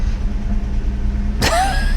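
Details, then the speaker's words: 1986 Nissan 300ZX, flood car, first drive in 13 years, weak brakes: rolling with steady engine rumble, sudden sharp pop and short squeaky ring from the right rear; rear clunk, cause unknown. "that doesn't sound good man something going on on that right side rear"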